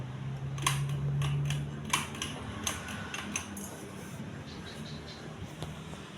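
A low steady motor hum with a few light ticks that fades smoothly, so the fan is turning quietly and evenly, healthy.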